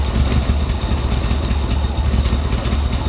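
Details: 1985 Chevrolet Corvette rescued from a Florida swamp, first revival: low, uneven engine note that surges and sags without holding idle; suspected timing, fuel, dirty injectors or wrong plug wires, unconfirmed.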